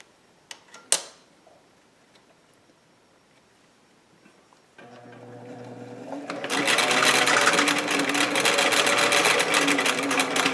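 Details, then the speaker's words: Singer 457 sewing machine after lubrication, maintenance and needle timing adjustment: quick even stitching chatter about four stitches a second, no knocking or catching; speed improved, stitching tighter, running smooth and free. "call that very smooth I'd say I'm really happy with that the speed of the machine has improved the stitching is much tighter than what it was it's just running so much more efficiently"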